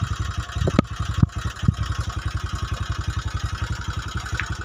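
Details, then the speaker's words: Honda Megapro New 150cc single, smoking heavily with fast oil consumption, rough and down on power; lumpy uneven idle about two beats a second with sharp blips; oil burning from worn piston rings and valve guides. "seperti ngerokok ya Lur Oke ini Pokoknya Bahaya kalau ngebul seperti itu biasanya oli cepat habis"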